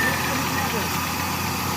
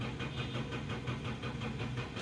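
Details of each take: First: 2003 Toyota Corolla XLi after gearbox refitted with correctly installed clutch plate and burnt connector pin fixed: starts and holds a steady, even idle with a smooth low hum, no knocks, misses or surging; no-start fixed. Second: 2003 Toyota Corolla XLi, won't start after clutch plate installation, check engine light on: steady even starter churning about five compression beats a second, no catch.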